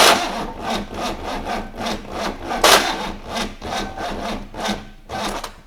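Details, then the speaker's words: 6.2 L GMC V8 diesel unstarted for 15-20 years, glow-plug heat on: sluggish uneven chuffs at about two a second, labouring over compression, never catching; two flat batteries and fuel solenoid not plugged in properly. "it just don't turn over fast enough does it no right so after looking at some YouTube tutorials we had realized that we haven't got the fuel center thingy plugged in properly we've got two flat batteries"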